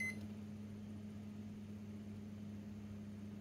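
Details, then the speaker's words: Japanese-market Mitsubishi IH rice cooker power board, plugged in directly with a fan blowing on it, started on quick cook: one short high beep, then a low steady hum as heating begins, a normal start. "Cắm trực tiếp rồi này. Bấm nấu nhanh này. Bấm nấu nhá."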